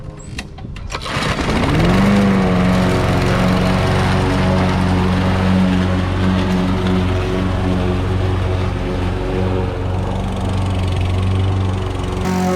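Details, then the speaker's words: Curbside Craftsman push mower after carburetor removed and cleaned, run under load; a bit of the carburetor gasket broke off. Fires up and holds a steady, even drone with no surging or misfire; normal running under load. "That sounds much better."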